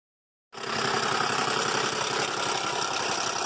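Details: 2005 Buick LaCrosse 3.6 V6 with about 142k miles that shut off on the highway, restarted, and shows cylinder misfire codes. Rough idle with heavy regular bottom-end knock under loud top-end clatter, about four beats a second; the engine is declared done.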